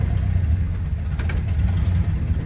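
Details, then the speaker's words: 1972 Chevrolet Monte Carlo, numbers-matching original factory 402 big block (U code), fan and shroud refitted, radiator filled and circulating; deep steady V8 idle in gear, even beat, no knocks or misses: normal idle in gear. "so let's sit here run for a second uh i want to get in the car and show you that it'll jump in gear so"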